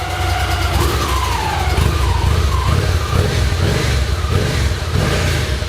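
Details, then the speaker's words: Victory Magnum motorcycle being rebuilt, first start after fuel tank and exhaust install: clean, crisp revs rising and falling with throttle, no knocks, rattles or misses; engine sounds healthy apart from a screaming starter, possibly needing its bearings greased. "Mike sounds good it sounds healthy other than that starter"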